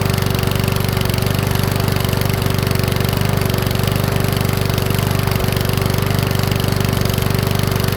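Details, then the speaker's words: Powersmart 170 mower, Briggs & Stratton-type engine, after valve adjustment: running at steady revs with regular pops about three per second, rough. Popping blamed on valves set too tight, to be backed off slightly. "you hear that popping sound I think what I'm doing is put it back on a workbench and uh back off those valves just ever so slightly so there's just a little bit of clearance"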